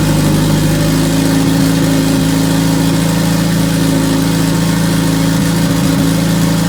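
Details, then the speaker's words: New turbo AWD Honda CRX engine just after first start, warming up at idle with the radiator fan not yet wired: a steady, slightly high, smooth low-hum idle with no knocks or misses. Healthy. "We're going to let it warm up right now. Like I said, the fan isn't wired yet, so it's going to warm up pretty fast. We're just gonna leave it at idle for the moment while it warms up."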